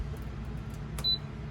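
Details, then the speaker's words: Iceco VL60 portable fridge, second unit after a damaged first one, plugged in for the first time: quiet room hum, then one short high beep of about a fifth of a second as the screen lights; normal power-on chirp. "We have a beep. The screen lit up for just a second."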